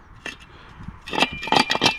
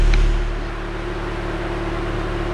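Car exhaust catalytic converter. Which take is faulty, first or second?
first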